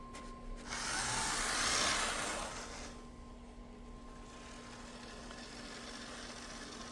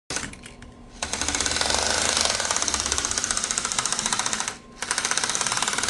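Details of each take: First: Bachmann GE U36B model locomotive after replacing cracked gears with Life-Like parts: motor whirs with a steady even hum, no clicking or popping from the gears. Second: Bachmann GE U36B model locomotive with its motor whirring and a sharp, rapid clicking of about four a second, from cracked gears made of poor material.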